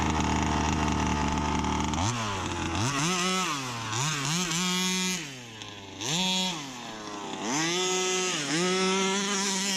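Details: Customer's Baja 5B RC car, two-stroke, with a new pull start, tested on open field: blips through the revs with a harsh rasp at the top end. Owner blamed general wear or a worn barrel; plenty of power remains. Cause: worn crankshaft bearing.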